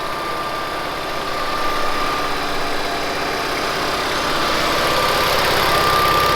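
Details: 1970s Bolens QT16 tractor, long-sat, running after gravity-fed fuel to carburetor: even engine run with steady whirring hiss building as it moves off; normal hydrostatic transmission sound.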